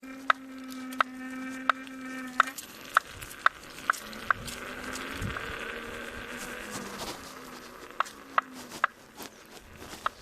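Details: Kingsong S22 electric unicycle with a new hub motor: sharp, regular knocks about one or two a second over a faint motor whine from the wheel hub.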